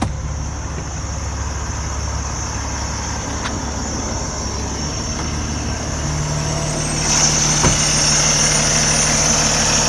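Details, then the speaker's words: Start on a 2013 Kenworth T680 tractor in great shape: the big diesel starts cleanly and settles into a steady, even low-rumble idle with no knocks or misses, running normally. "Again, this unit's in great shape. I'm going to start it up and we'll take a look under the hood. Nice clean start."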